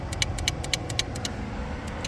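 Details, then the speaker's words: Range Rover Classic that broke down at 25,000 miles and sat 10 years, key-on after rewiring with heater running: rapid sharp dry clicks about eight a second, then scattered ticks over low hum; relay chattering, later identified as the flasher relay. "There's a relay down here that is unhappy about what I'm doing."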